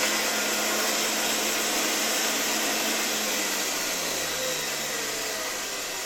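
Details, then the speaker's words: 1981 Rakieta 7M2 vacuum MD-010 motor, first run on reduced voltage through a regulator: a smooth, steady whir dropping slowly in pitch as it runs down, with no grinding or rattle. The motor sounds healthy; dust puffed out at start. "I have the impression that this motor really runs quite smoothly. I don't know if I can hear the bearings here, or is it that spring that makes noise? But generally it works quite smoothly."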